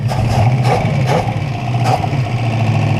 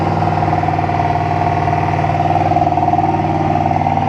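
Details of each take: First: 1968 Buick Skylark Custom V8, abandoned since the 80s and newly revived, with the PCV hose off and plugged, idles with a deep, steady rumble after warming up; an earlier suspected rod knock went away; normal idle. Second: 1968 Buick Skylark running again after about 40 years sitting, on high idle warming up with the PCV hose plugged: a fast, slightly uneven light knock rides over the idle; owner suspects rod knock, and it went away in gear.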